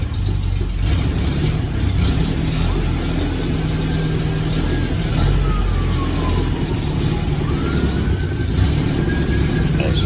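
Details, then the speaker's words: 1949 MG YT, cold idle on choke just after an overnight-cold start, left to warm up: even, low idle with a siren wailing in the distance; the cold engine runs steadily as it warms. "have to let it warm up a little bit when you first start it get everything loosened up"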